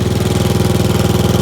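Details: Gravely tractor in snow, in neutral after topping up low hydraulic fluid with multi-grade ATF: single-cylinder engine thumps evenly at steady fast idle, no strain or grinding; hydraulic lift works normally again.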